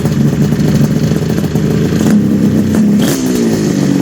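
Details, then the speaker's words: 1974 Kawasaki H2 750 two-stroke triple just revived after 34 years' storage, oil put in the chambers: crisp, busy rattle with an even beat and a light throttle blip, all three cylinders firing and smoking equally before idle setting; normal running. "That sounds so good. The fact sounds better than good. Yeah. The fact that all three are smoking the same is a very positive thing."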